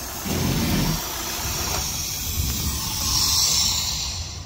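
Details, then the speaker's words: 2013 Chevy Sonic 1.8L four-cylinder with code P0171 (lean): steady airy hiss over a rough idle from a failed PCV valve built into the valve cover, letting in unmetered air. Fix is replacing the valve cover. "that right there is causing um too much air to go into the system and not enough fuel so it makes the engine idle way too rough"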